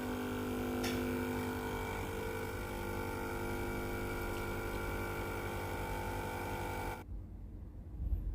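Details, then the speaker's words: Philips PSG 7014 steam iron after control board replacement, powered on: steady buzzing hum for about seven seconds then cuts off; water pump running normally. "Conectați ștecherul, porniți mașina, lumina se va aprinde normal, așteptați ca mașina să fie gata de utilizare. Se aude un zgomot de funcționare"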